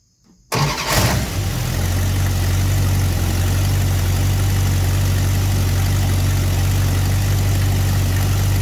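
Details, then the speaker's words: Engine started with ignition timing at about 1° initial advance and the vacuum advance port plugged, before advancing to 12°. It cranks, catches and settles into a low, slightly uneven lope; rough idle from retarded ignition timing. "okay so if you look now we have like 1° in and it started so it's kind of almost so we're going to add some to it"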